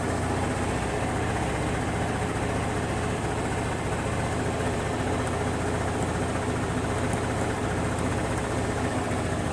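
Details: Honda BeAT FI scooter after repairing a broken wire in a connector that left the electrics totally dead; steady low idle, even and settled with no stumbles, so it starts and idles fine.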